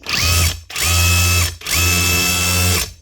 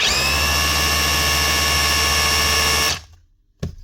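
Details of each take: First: DeWalt DCH273 18V cordless SDS hammer drill with a cheap bit mushroomed and jammed in the tool holder: three bursts of smooth motor whine with light mechanical chatter but no solid hammer blows. Jam suspected; an internal piston fault is possible. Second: Dewalt DCH273 cordless SDS drill after chuck repair with used parts from an older DCH253, free-running test: steady high motor whine, smooth even gear mesh for three seconds, clean spin-down; gears healthy.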